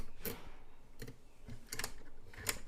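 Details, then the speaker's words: Zenith Circle of Sound C427W/F427W flip clock: after realigning the alarm gear, the alarm should pop or click around 9. A few sharp, dry mechanical clicks as it trips close to the set time: normal alarm trip. "Now that should you should see you should see this pop or click when it hits around 9."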